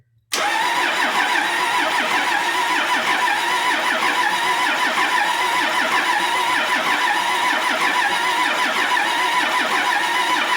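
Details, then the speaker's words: Cummins bus diesel sat outside nearly 3.5 years: long, even starter cranking with no firing after the back three injector lines were cracked to bleed air from the dry fuel system; still air in the fuel. "so i got the back three crack because usually if you crack uh three of these at least half of them open that's enough to get started"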